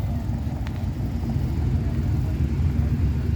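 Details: Chrysler New Yorker Deluxe at a car show, running after the ignition key switch that fell into the dash was refitted: deep, steady rumble with a slightly uneven low beat but no knocks or grinding; the big old engine runs normally.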